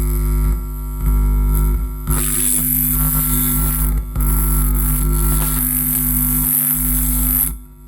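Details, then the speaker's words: 400 W mono power amplifier with ordinary, non-shielded input cable; loud steady low mains hum only slightly reduced when wires are twisted with the black wire, still loud when touched: mains hum from unshielded input wiring pickup. "Ini dililitkan. Suaranya sedikit berkurang, Lur. Sedikit berkurang. Tapi masih masih dipegang masih kencang nih ya."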